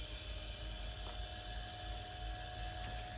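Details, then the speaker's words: 1992 Olivetti M4-40 modulo 80486 computer power supply tested off the motherboard, 5 V rail reading 5.2 V: steady fan whir with thin high whine at even pitch; fan running normally. "so i'm pressing this is a 5 volt and this should be spinning up and making a lot of noise"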